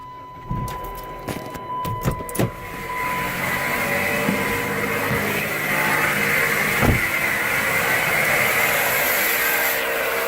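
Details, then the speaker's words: Car at idle, engine running: a few clicks, then a steady gritty grinding hiss that doesn't let up. Rust at the alternator; alternator suspected, pulleys to be spun with the belt off to confirm. "the problem is likely the alternator but uh I'm not a firm believer in guessing so what I'm going to do is remove the belt and uh spin some pulley"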